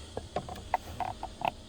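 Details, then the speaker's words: 1977 Jaguar XJ6 Series 2, left tank selected, ignition on, engine off: quick irregular clicking ticks, a few a second, from the electric fuel pump priming. Normal fuel pump ticking. "okay it left tank on ignition on fuel pump's working can hear that pumping a yes"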